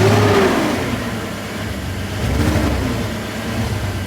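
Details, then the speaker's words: E46 BMW that suddenly started running rough on the way to work: engine running with an uneven, stumbling beat from a cylinder 4 misfire. A bad ignition coil is suspected; the car was once underwater. "I can hear it I don't know if the camera's picking up the sound but that's my misfire cylinder 4"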